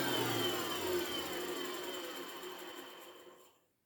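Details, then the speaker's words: Hoover Turbopower 2 vacuum cleaner after motor service, upside down showing brush roll: smooth steady motor hum with even spinning hiss, winds down cleanly; brush roll runs freely, fluff cleared. "And as I said, all the fluff's cleaned itself off the brush roll. And that's sorted now. That's brilliant."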